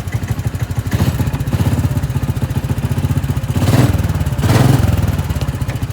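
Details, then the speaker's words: Harbor Freight Predator 420cc single on a pit golf cart, no air filter, glass-pack muffler: steady putter at idle with even firing pulses and a slight surge, nothing out of rhythm; runs normally with decent power. "But the thing runs pretty good. It's got a decent amount of power when it runs."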